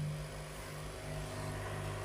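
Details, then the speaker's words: Green or red board audio amplifier on a power supply with poor ground: steady low buzz with stacked even overtones, mains hum. "so when I switch on my power supply can hear very well the hming sounds"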